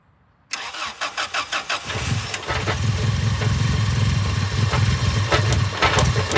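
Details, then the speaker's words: Seriously neglected, non-running Subaru Impreza WRX started after the battery is reconnected; a few quick cranking pulses, then it catches cleanly and settles to a steady even idle, sounding really good: normal cold start. "well that's actually shocked me because that sounds sweet as enough actually sounds really really good guys"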